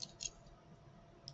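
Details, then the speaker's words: CyberKey inserted into a CyberLock with the flat sides aligned: short, sharp clicks in a quiet room as the key seats, a crisp solenoid engagement with a light showing. Normal operation before turning. "plug the key in you'll see a light hear a click and turn simple as that"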